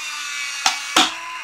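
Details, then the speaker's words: Taigen Sherman RC tank with MAKO2 board and anti-track-recoil circuit, tank sounds off: steady thin whine of the airsoft unit spinning up, then two sharp snaps as it fires normally without track recoil. "That whining sound is going to be the airsoft unit spinning up, and as it spins, it's going to fire."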